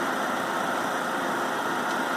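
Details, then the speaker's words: New Harvest Right oil-less vacuum pump on a knob-style Harvest Right freeze dryer pulling vacuum, heard from about 2.5 ft away: even, constant-pitch whooshing drone with no clatter or surging, running cleanly. "not standing very far in front of this unit maybe two and a half feet and you can hear the pump that's not ball while we're looking at this"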